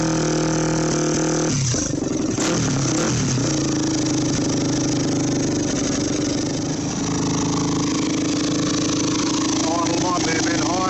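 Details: Yamaha WR400F four-stroke single, restoration project, radiators off, running on a temporary fuel supply: after starting it settles into a loud, fast, steady idle that sounds higher than it should; idle speed seems high, still really loud. Cause suspected, not confirmed.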